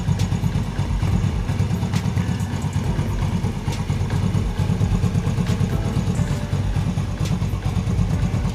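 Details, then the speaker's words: Yamaha Vega R motorcycle engine idling in neutral with a smooth, steady, low, even putter and no grinding. A friction noise appears only in gear, caused by a worn one-way clutch bushing that is fixed by replacing the one-way set. "Oke Bro ini mesin sudah menyala pada saat mesin menyala kondisi masih Netral suaranya halus normal"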